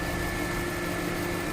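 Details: 2005 Ford Town Car V8 idling with a faint uneven stumble, cylinder 8 misfire; scope shows injector 8 signal from the computer dropping out, fault traced to the connector, which moving restores normal running; connector to be replaced or repaired.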